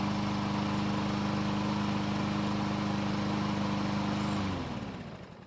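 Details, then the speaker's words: Six-year-old Troy-Bilt mower that wouldn't start, after draining water from the fuel and flipping the blade: smooth, steady drone with an even beat, then a clean wind-down at shutoff, running healthy. "Luckily, it started and ran just fine, and it sounds really good for a 6-year-old lawnmower."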